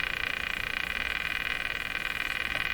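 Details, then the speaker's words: Canadian Westinghouse Model 684 tube radio with shortwave bands dead with no local oscillation, and a defective IF transformer. Fast, even crackling buzz like rapid ticking, apparently from the radio; cause not found. "Oh, that sound came back. I'm not sure what to make of that. Seems to be caused by the radio, this sound, but there is another noise I get regularly in my shop."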